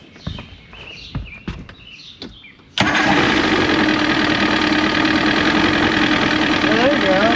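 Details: Used Evinrude 115hp outboard replacing a seized Johnson 135hp on a 1973-74 Glastron, warm-up lever set down: after a few clicks it settles into a steady even run, no misses; runs good, water pump output still suspect.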